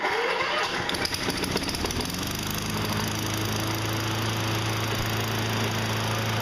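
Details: Toro 20074 electric-start push mower that spun over with no spark, after freeing the kill bracket for full range of motion and one prime: cranks briefly, catches, and settles into a steady, even single-cylinder drone with no misses. Starts and runs normally.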